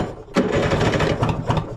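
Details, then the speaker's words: 1970s Wetco Wetbike that sat 25 years, after a coil swap restored spark, carbs off, running on starting fluid with the intake airflow restricted: short, ragged bursts of firing catch and die within a second or two. "sounds nice little shot of some starting fluid and restrict the airflow in here"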